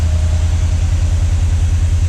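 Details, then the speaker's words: 1979 Chevy C10 after 10+ years sitting: deep even idle, no misses or knocks, no visible smoke, running slightly rich from the old carburetor; oil pressure gauge apparently reading about 45 psi on old gas-diluted oil. "It's idling, sounding halfway decent. Doesn't really appear to be smoking."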